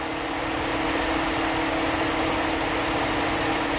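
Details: 2011 Ford Edge with intermittent cylinder 6 misfire and stored code: steady idle with faint uneven stumble; injector ground voltage found rising intermittently, mechanic suspects the engine computer.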